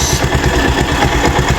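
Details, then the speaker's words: Rouser 180 motorcycle with converted dashboard and MT15-style head, complaint of noisy engine; uneven puffing idle with backfire pops, smoke escaping between cylinder head and block where it was popping: cylinder head gasket leak. "may lumalabas ditong usok sa pagitan ng cylinder head tsaka black. Pumuputok siya diyan kanina yan."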